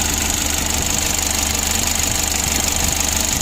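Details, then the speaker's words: Mitsubishi L300 diesel, about 2011, warm, after injection pump adjustment with original pump: hard, fairly regular clatter about 3.5 knocks a second at idle, injector knock suspected, not confirmed; diesel knock at idle. "Kita sudah mendengar suara kemlitik pada infeksi yang"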